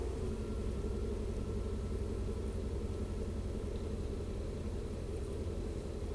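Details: Chevy 3500 dually after battery replacement and throttle body cleaning: low, smooth rumble at a settled idle of about 640 rpm with no hunting, surging or stumble. Normal idle after the fix.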